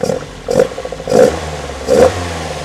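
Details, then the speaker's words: Lotus Elite, first run after 7 years, with a new choke cable and fuel filter and rebuilt but unbalanced carbs; fairly steady with slight unevenness and occasional louder surges; a touch rough, probably unbalanced carburettors. "I'm just switch it off okay it doesn't sound perfect does it but you know it's running pretty smooth"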